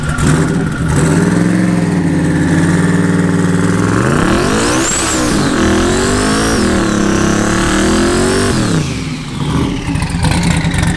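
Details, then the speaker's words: Camaro at the drag strip, after sitting and idling in the shop (smoky): revs climb hard then hang at one flat high drone with no gear change; transmission didn't upshift, cause unknown. "so sounds like it didn't shift i'm not sure what's going on with that"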